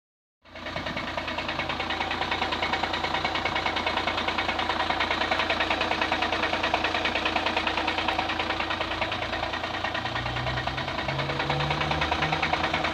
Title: Passat CC 2009 2.0 TDI 125kw 170HP strange noise at cold engine